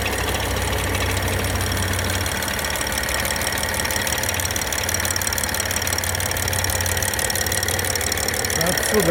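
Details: BMW N55 engine on a cold start: fast, uneven tapping about three per second over the idle; cold-start knock, cause unknown.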